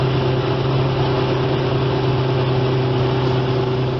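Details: 1975 Evinrude 25 HP two-stroke outboard after tune-up, carb cleaning and new parts, lower cylinder 130 psi compression. Lake test run after restart on a chilly morning: smooth, even idle with a steady low hum, no knocks or misses. Normal running.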